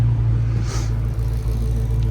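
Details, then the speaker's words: Hellcat Redeye supercharged V8 after reinstalling fuel rail with fuel pressure sensor: deep steady rumble with even beat, no misses, no longer stalling, no engine light; normal idle. "Seems like it's running better. It's dark right now, so I'm gonna drive it tomorrow, see if it's running better, but it ain't stalling out no more."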